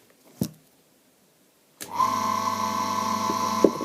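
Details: ZCPW400 submersible drainage pump that hummed without turning or pumping, after replacing its capacitor: a knock, a pause, then the motor starts cleanly and runs with a steady hum.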